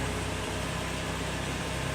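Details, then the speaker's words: Lexus RX400h hybrid gasoline engine idling after starting from a newly installed remote start: smooth, even low drone with a steady hiss and no knock or miss, a normal idle. "Main feature is remote start. Hit this button twice. You hear the electric motor come on, then the gasoline engine."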